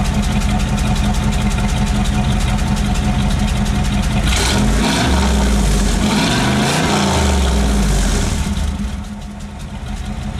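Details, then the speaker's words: 1996 Chevrolet Camaro Z28 5.7L V8, before repairs, revved hard from outside after inside; revs rise and fall with throttle, an uneven stumble breaking in every so often; intermittent misfire. "yeah you hear a Miss every so often yeah you hear it yeah I miss every so often"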